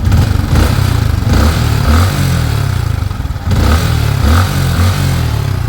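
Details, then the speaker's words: Yamaha Sniper 155, 38,617 km, after clearing clogged oil passage: engine no longer noisy; revs rise and fall with a light clatter from vibrating loose body panels, engine itself healthy. "Hindi na siya yung maingay katulad kanina. So pag nirev natin maingay gawa nitong mga to na babibrate."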